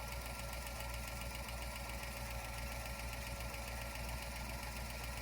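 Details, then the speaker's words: 1956 Ford F-250 flatbed after ignition tune-up with new points, coil and wires, valve cover off checking oiling: steady idle with light regular ticking, a couple per second; suspected valvetrain tick, possibly valve lash, not confirmed. "Let's see if we can get the tick this guy. Yeah. Let's see if it is an oil."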